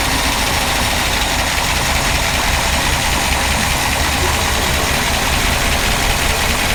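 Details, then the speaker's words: Old car in the shop (1957 Ford Thunderbird or 1968 Dodge Charger) idling after power steering work, fluid a little low and foamy; steady even idle with no whine or groan, the old pump is much quieter. "It's kind of funny, the pump on this old bugger's way quieter"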